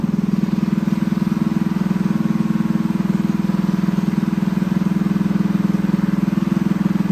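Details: Newly built Honda GX200 clone single-cylinder engine on a bench stand, choke on: pulsing beat about two and a half a second, slightly hunting; lean from a clogged carburetor jet, owner plans to bump up the jet gradually.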